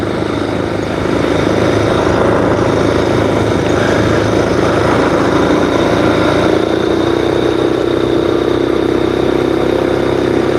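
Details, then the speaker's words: Freshly finished scooter build running: a steady, even engine note at constant speed with no knocks, misses or rattles. It sounds healthy and is running normally. "Yeah, the scooter is running good, guys. I can't see anything wrong with it so far."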